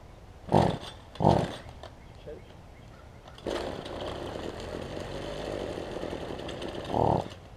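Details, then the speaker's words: Toro weedeater rebuilt with HiPA carburetor kit and improvised gasket/grommet, restarted after sitting 10–15 minutes: two rope pulls fail before it catches and runs roughly at low speed; hard restart after sitting, cause unknown. "one challenge that i have learned is that like if you let it if you start it back up immediately it's fine but if you let it sit for like 10 or 15 minutes and try and start back up it's a little more it's a little difficult"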